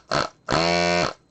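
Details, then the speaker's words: Amiga 2000 repair desoldering tool vacuum pump after cleaning out its clogged bypass valve opening: short buzz then even, steady pump drone with firm suction, now pulling vacuum normally where before it leaked air and barely sucked. "Yeah, and I could feel it now actually sucking my finger when I stick it in on there. Before it wasn't really doing that."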